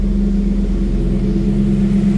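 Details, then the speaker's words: V8-swapped BMW E46 just after start-up on a newly fitted alternator, cold, with no coolant in and leftover oil burning off. A steady, deep V8 rumble with no knocks, slips or belt squeal; "no weird noises." Normal running after start. "Alternator's spinning, that's something. That's all looking good. Just got to remember there's no water in it. No weird noises."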